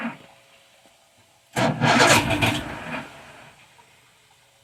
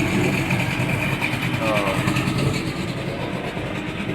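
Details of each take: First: Old Evinrude 150 outboard, believed a 1978 model, out of the water, cold start on choke with no throttle: three cranking bursts, each catching roughly for about a second before dying. Hard cold start. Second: 1978 Evinrude 150 outboard run in a barrel, after cold start with a little throttle: steady burbling idle with water splash, no misses or surging; idle fine, owner thinks a tune-up or new plugs may eventually be needed.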